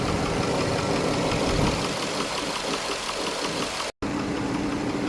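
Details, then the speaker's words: 2009 GMC Yukon Hybrid 6.0L V8 idling with a light, fairly regular tick, about three per second, apparently from one side, after all lifters were replaced (lifter 7 had a stuck spring) and plugs, wires and coil #4 were swapped; cause unconfirmed. "Just replaced my lifters and I still have a ticking noise. Sounds like it's coming from this side."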